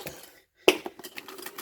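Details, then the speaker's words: Refrigerator with ice packed around the evaporator fan, unplugged and turned by hand: brittle clicks and scrapes as the blade drags through the ice, also causing poor ice making. "lo ven el abanico y lo oyen y le doy vuelta si lo están viendo el hielo ese es el ruido que está haciendo"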